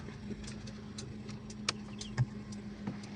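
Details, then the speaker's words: Kijang LGX 1.8 EFI 2003, manual: quiet, even idle with steady low hum and light valvetrain ticking, engine mounts smooth without vibration; normal idle with no abnormal noise. "Suara mesinnya halus, tidak ada bunyi anomali. Semuanya masih bekerja dengan normal."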